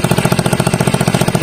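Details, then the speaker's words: Rusi MPY / Wave 100 motorcycle at idle: rapid harsh, raspy, loud putt-putt puffs from a leaking exhaust pipe (tambucho) that needs welding; exhaust leak. "May singaw na siya mga lods. Kailangan siyang pa-welding. Kaya pangat yung tunog."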